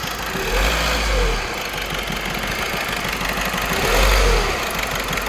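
Diesel idling unevenly with a stumbling, lumpy beat and an irregular chug in the rhythm, a misfiring cylinder at idle.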